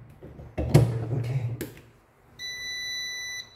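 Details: Tesco BM1333 bread maker after motor belt replacement, reassembled and powered on: after handling clatter, one steady high beep lasting about a second; powers up normally.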